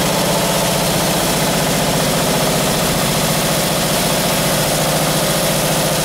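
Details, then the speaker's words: Rebuilt 1978 Chevy 350 in a Camaro, warmed to 190 degrees with the exhaust on: a rough V8 revs with a fast, light ticking chatter over the firing beat that quickens with revs. The lifters are rattling and need resetting. "with the exhaust on there i can hear the lifters rattling so now i can go and uh go through and reset those"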